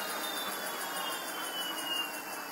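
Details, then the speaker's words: Generic 48 V hub motor driven by a 72 V controller on two different batteries in series, spinning unloaded: high, hissy rasp pulsing several times a second as the disc brake rubs a caliper not set up right. "what you can hear there is the rasping of the disc brake because the calipers not set up quite right"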